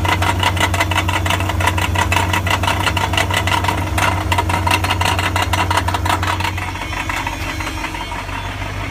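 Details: 1999 BMW 540i, 186,000 miles: loud metallic rattle on start-up and revving, louder from under the car than under the hood; fast, fairly regular ticking over idle that eases slightly as the engine settles, cause unclear.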